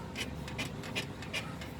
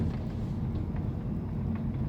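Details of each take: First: 2011 Mini Countryman on a lift, rear stabilizer link rocked by hand: rhythmic dry creaks, the creak-and-crack noise heard from the rear on unpaved roads and speed bumps; worn-out stabilizer link bushing, replaced. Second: 2011 Mini Countryman driven after replacing rear stabilizer bar link bushings for creaking and crunching on rough roads: even road rumble, a couple of dull bumps, no rear creaking; quiet rear suspension.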